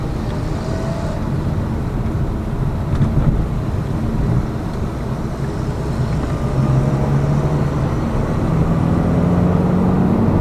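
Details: Lada Vesta Cross with AMT 2.0 robot gearbox, fully loaded, on rough road; head-mounted action camera. Even road rumble and engine hum, no clunks over bumps; suspension quiet after shock absorber strut replacement eliminated the knock.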